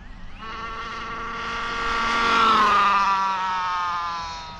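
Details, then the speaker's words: Infraction Mega RC car converted to a 3S brushed motor, driven on a model airplane runway: whine rising and falling with speed, with a rough rubbing edge. The car has always been loud and the owner blames the mod gears. "it's it's always been kind of loud though I think it's the uh the cut the mod gears that the uh A"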